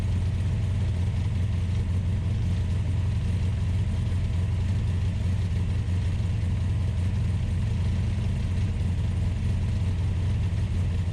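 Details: Ultima GTR supercar with American V8 warming up after a jumper-pack start: steady, even drone noticeably above normal idle with no dip or hunt, a high warm-up idle; fans pulling hot air, gauge reading only about 60 degrees.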